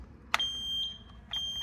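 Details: Taylor C723 soft serve machine: sharp click then a steady high-pitched alarm as a sensor ribbon is pulled, giving a "hopper over short" fault while a thermistor probe is being replaced.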